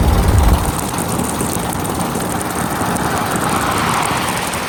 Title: Exhaust leak